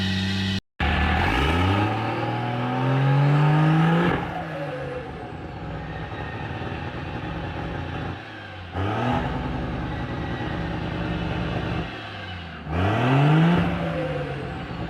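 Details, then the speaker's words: 12-valve Cummins diesel in a Cadillac on square-body Chevrolet frame, 5-ton Rockwells, 366 turbo, restrictive 2.5 in intake, 3 in exhaust, lacking power: three long wide-open pulls, revs climbing slowly, strained and hollow. "This thing has the strangest noise I've ever heard in a while. I'm going to floor it. I'm just going to keep it to the floor."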